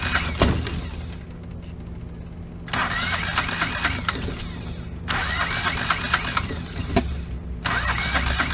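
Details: Kohler 725cc V-twin mud motor with a thrown rod in cylinder one, cranked on the one good cylinder: three cranking bursts that stumble and kick back without catching; timing too early from a sheared flywheel key.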